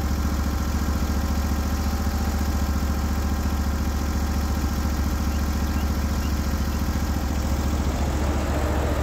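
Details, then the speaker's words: Norwood HD36v2 sawmill with new roller guides (ceramics replaced), cutting black oak hardwood: a steady engine drone with an even pulse that holds speed without labouring. Normal cutting under load. "you can tell by the way it sounded you can tell by how smooth this is that not only did it cut great it cut exceptional"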